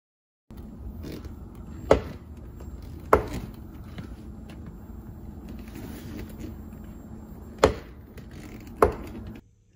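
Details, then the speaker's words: Tesla door opened and closed: four sharp squeaky clicks in two pairs from a worn door check strap. "a squeaky click sound that comes from your door when you open and close it on your Tesla it's most likely what's called your check strap"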